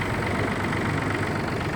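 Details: Yanmar AF226 26 hp 4WD Japanese mini-tractor with reverse, diesel, heard with hood open: idles evenly, steady clatter with no misses, knocks or hunting; normal idle.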